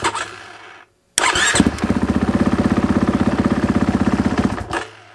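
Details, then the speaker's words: 2021 GasGas MC450 dirt bike that wouldn't start: after silence the starter cranks about four beats a second for three seconds without firing; engagement intermittent, owner suspects a relay rubbing on the seat bottom. "And when I turn the button, I hit the button. Oh, there it goes. Sometimes it will click, sometimes it won't."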